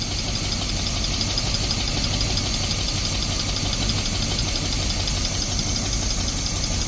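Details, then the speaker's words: 1972 Barth motorhome, first run on its own in 15 years, fuel filter leaking: steady, even idle holding without help, no stumble or misfire; old engine running cleanly after sitting. "I'm gonna try and get her going again here there we go idling on her own I just literally turned the key"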